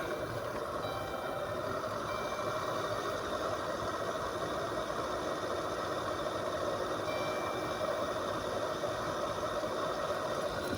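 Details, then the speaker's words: 2012 Chrysler Town and Country front blower motor, louder with glove box open at low speed: constant low rumbling growl under the airflow; suspected dried-out bearings, motor being replaced. "kind of sounds like there's like the bearings dried out or something in it um or there's something just either in there um like where the bearing and the motor kind of meet maybe is just grinding away"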